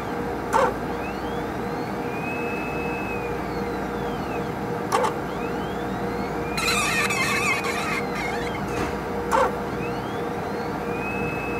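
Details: HPLC sample pump: a high squeal glides up and holds each cycle, with a sharp click about every four seconds; the pump is squeaking.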